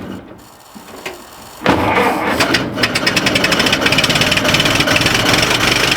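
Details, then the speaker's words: 1926 Ford Model T four-cylinder after tightening the muffler underneath: quiet first second, then catches and settles into steady, even idle with light exhaust patter; doesn't sound bad at all, normal idle. "doesn't sound bad at all."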